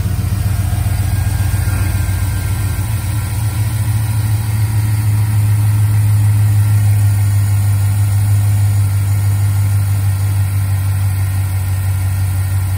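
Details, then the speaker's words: V8 at idle with a solid check engine light and no stored fault codes, possibly below operating temperature. Uneven, laboring beat with a recurring stumble; engine misfire at idle. "so this is one of those scenarios where uh i could hear it misfiring right now i could hear it laboring"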